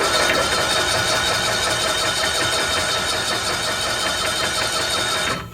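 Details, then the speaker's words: 1992-ish Cushman Truckster, sat years in a field, first crank attempt (owners wonder if 6-volt system): labored, sluggish churning under three turns a second that never speeds up, then stops; slow cranking, cause not confirmed. "Shoot! That ain't cranked over good. I felt wind though."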